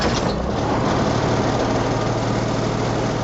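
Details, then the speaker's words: M35A2 deuce and a half diesel after fitting an AeroTurbine 3535XL muffler: low throaty idle, steady and even, with light cab rattles; much quieter than before, idling normally. "now you can hear all the rattles here in the cab whereas you couldn't kind of hear them very well before and now um at idle it's it's much much quieter but there's that throy grow"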